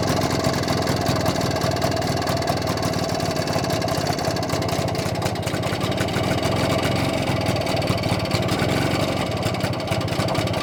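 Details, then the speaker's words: BSA D7 Bantam two-stroke under restoration, after checking the timing and a fine tweak: fairly even fast tickover without misses, running smoother than before. "running a little bit smoother foreign ly running a bit smoother than it was"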